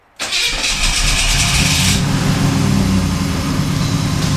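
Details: 1991 Pontiac Trans Am 305 TPI, after a no-start caused by the distributor rotor coming loose and turning 90 degrees: rotor refitted, cap replaced. Brief crank, then it catches at once and settles into a steady, even idle, a clean normal start.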